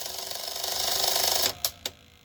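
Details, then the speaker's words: 1984 Sanyo Beta VCR (model VCR 3): pressing play, fast forward or rewind gives a short whir then two clicks and silence; loading and eject work, tape does not move. Owner suspects the idler; cause unknown. "But when I try any of the play, fast forward, rewind, it just sort of clicks, and then that's it."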